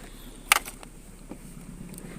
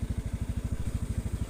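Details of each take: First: Honda Scoopy after servicing for hesitation at 2000–5000 rpm and cold-morning stumbling: after handling clatter, a light steady putter holds without stumbling; idle better than before service; normal idle. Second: Honda Scoopy scooter that hesitates with a cold engine in the morning: when throttle is opened at low rpm (2000–5000) it intermittently stutters; uneven low putting idle, stumbling at low revs. Cause suspected, not confirmed.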